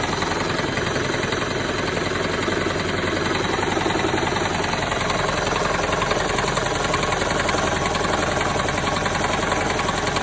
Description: This is Toyota Prius 2007 and all cylinder misfires and this sound is resolved by cleaning fuel injectors.